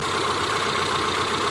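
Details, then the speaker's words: Car engine after cleaning carbon from the throttle body with carburetor cleaner while running: short, steady, even idle with no hunting or vacuum-leak hiss; idle rpm now stable, dropping smoothly and revving up quickly. "quy trình RPM nhàn rỗi của ô tô đã ổn định, nó giảm RPM một cách trơn tru và sau đó tăng tốc nhanh chóng"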